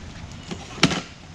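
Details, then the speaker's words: Rad Rover e-bike: a few light taps, then one sharp loud metallic clack as the kickstand flips up; mounting bolts keep working loose after retightening, so the stand bounces and rattles while riding. "I save this for number one because this is a thing that bugs me the most and that is the kickstand on this bike it comes loose constantly and it's loud"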